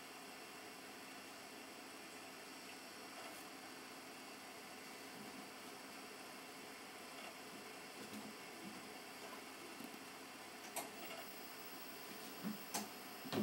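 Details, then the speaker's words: Xbox 360 console, Slim and Pro noise comparison with the model unclear: a steady, fairly loud airy whirr with a faint hum and some handling knocks near the end, then it stops. Normal fan and disc drive noise. "you hear that very well but it's fairly loud then it stops"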